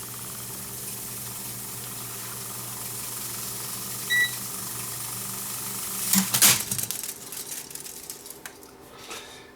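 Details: Sony TC440 reel-to-reel, which had smoked and lost fast-forward torque, after replacing a shorted 10k resistor: steady soft motor hum with faint hiss, then a clattering rush as the reel runs out; fast-forward working normally.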